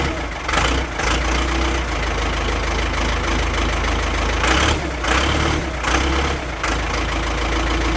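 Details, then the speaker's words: Ford 6610 Force II diesel tractor with fuelling problems, lift pump checked and fuel line clear. Idles a little unevenly with a faint hiss near the filter; air drawn in past the water drain O-ring, no replacement in kit. "Okay, so I can actually hear the problem, and it is right here, the O-ring on the water drain. There was no replacement in the kit, and I can hear air being pulled in here."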